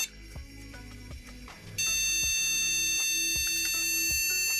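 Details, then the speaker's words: Untested retro Pentium-era PC at first power-on POST, with a 64 MB PC100 RAM stick: after a few clicks, one long unbroken high beep for about three seconds; long-beep code usually meaning RAM trouble, RAM to be swapped. "Doesn't sound like a working system, but let's see what that could be. That's long beeps usually mean RAM trouble."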